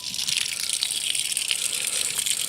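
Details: Camper water station: turning on the water pump makes water squirt out of the outside city water connection. Steady hissing gush of water with no pump hum heard; pumped water is escaping through the inlet.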